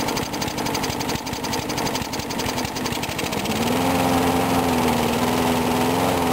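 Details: Briggs & Stratton single-cylinder mower engine cold-started at 35°F after long sitting, water suspected in the gas; started first pull. Picks up speed partway, then settles into steady even hum, no misses or stumbles; normal running.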